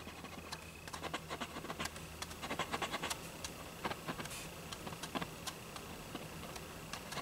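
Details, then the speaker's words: Old GE radio, export model believed X-216A (possibly X-153): irregular dry scratching as the speaker cone is pushed by hand; suspected rubbing voice coil, possibly just dirt, not confirmed. "but the speaker itself it sounds like it's rubbing pushover there it's pretty quiet you can hear it making noise there"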